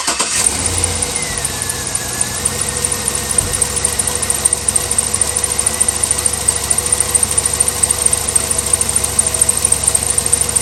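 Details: Chevy Suburban V8 idling with a fast, light ticking over the exhaust note from a worsening driver's-side exhaust manifold leak, recorded after radiator replacement; new manifolds planned.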